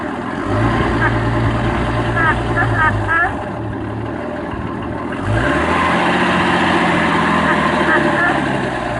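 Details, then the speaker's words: 1989 Jeep Cherokee Pioneer 4.0L I6, AW4, idle after cleaning gunk from the idle air control valve, which has occasional idle RPM drops: steady idle with intermittent nasal quacking chirp, then idle steps up; quack source unclear, owner points low. "I think the quacking comes from this down down here I don't know it still runs I guess whatever man"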